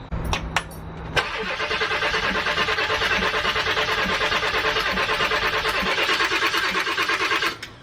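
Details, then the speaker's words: Ford 7.3 diesel van, after fuel filter service, cranking to purge air through the lines: about six seconds of steady starter cranking at roughly three beats a second, no firing; air in the fuel lines. "I'm just trying to push trying to push all that [ __ ] air through the lines and it'll bubble up"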